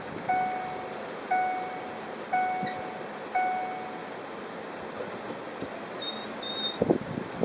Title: BUCCI BRAKE NOISE-SQUEAK.